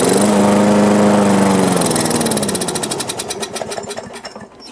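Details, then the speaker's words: Old Briggs & Stratton lawn mower that would not start, with the air cleaner off and carb cleaner sprayed in: it catches with a brief drone, then fades into slowing pulls. The likely cause is a loose safety cutoff (kill switch) mount. "Well, it looks like it cranked, but while I was pulling on it there, I found out what was wrong. This is loose."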